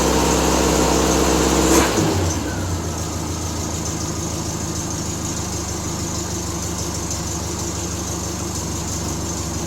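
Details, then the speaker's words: Triumph Spitfire 1500 four-cylinder, cold start on high choke after a new exhaust header and intake; first run in a week. Fast high idle, then a steady, even firing beat. Owner suspects a slight exhaust leak: normal cold start idle. "So we got juice. So she's a cold start. We'll let that run for a second or so."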